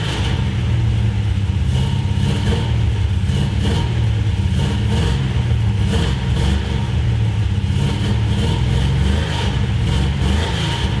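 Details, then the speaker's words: Big-block 1973 Road Runner after fixing a header leak, header bolts and an intake leak: revving with a smooth, even exhaust beat and no ticking or puffing from the manifolds; exhaust is sealed and healthy. "you guys can just feel the exhaust real quick because it sounds nice now"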